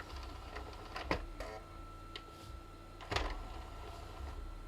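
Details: Original Xbox Crystal Edition after repair of stuck disc tray, final test with lid back on: soft motor whir with clean clunks as tray travels out and in, no grinding or stalling; tray runs fine.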